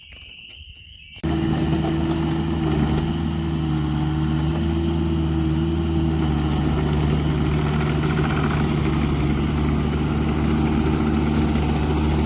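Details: Loader on a farm service call, running again after new hydraulic lines to the pump were made and fitted: a steady, even idle drone with a constant low hum and no knocks or surging; normal idle.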